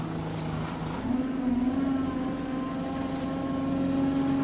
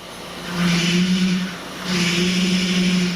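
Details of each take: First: Bus hydraulic power steering pump, normal: a steady low moan over the diesel whose pitch follows engine RPM; ordinary pump noise, nothing wrong. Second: Bus, recorded from inside after starting: a low moan swells and fades twice under the engine note as load comes on; bad power steering pump, not air in the system if bleeding doesn't cure it.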